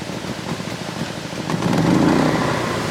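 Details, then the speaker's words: Portable generator run during a power outage, started on choke about 10 feet from the house: steady, even, quiet engine drone picking up smoothly with no knocks or misses; running normally. "That's running. You can't even hear it. Beautiful."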